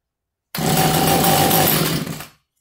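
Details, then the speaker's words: Echo CS330T top-handle two-stroke chainsaw with new carburetor, strong compression, cranked from flooded with throttle held open: sudden bark running rough under two seconds then dying; fires only on primed fuel, fuel delivery fault, carb and pulse line to check. "So we're looking for a cough. Right now it's going from a flooded situation. Maybe should just save a little time and hold the throttle open."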